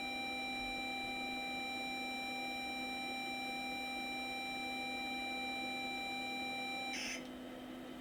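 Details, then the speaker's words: Multitech MPF-III 310 Apple II clone saving from the monitor to cassette: clean, steady high tone for about seven seconds then cutting off; normal data save signal, later loaded back successfully. "okay now I should be able to save so I'll just crank up the cassette there and apparently I should just be able to type Save Right got the monitor on tape"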